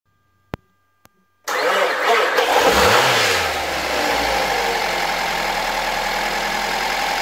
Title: 2006 Mazda 3 - First start after engine rebuilding